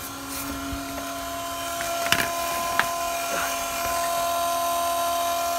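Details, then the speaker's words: Cummins 5.9 diesel truck after fuel filter change, key bumped on without starting: steady electric hum with a thin whine; electric lift pump priming the fuel system normally. "you put the key in you hear the pump running maybe you can I'll try to get a closeup of it"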